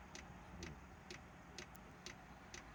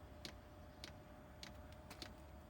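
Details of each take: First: Chinese diesel heater on its old controller, start-up: quiet regular ticking about twice a second over a faint hum; small air bubbles seen in the fuel line, smoky start believed to be unburnt fuel, expected to clear. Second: Chinese diesel air heater on old controller during pre-warm-up: sharp, even ticks about every 0.6 seconds over quiet room hum as the dosing pump pulses, tiny air bubbles moving in the fuel line; normal fuel pump ticking.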